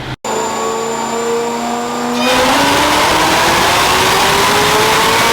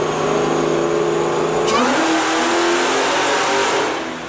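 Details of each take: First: 2004 Mustang Cobra Terminator with ported 2020 GT500 supercharger, smaller upper pulley, dyno pull: smooth climbing blower whine, no misfire, fueling improved; about 781 hp, 684 torque, about 16 psi boost with a spike up top. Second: 2004 Mustang Cobra Terminator with a ported 2020 GT500 supercharger, 2.8 upper and 10% lower pulleys, on the dyno for a baseline pull: the rising full-load tone stumbles and breaks up near the top. Tire spinning is noted; owner suspects spark blowout and fits new TR7IX plugs.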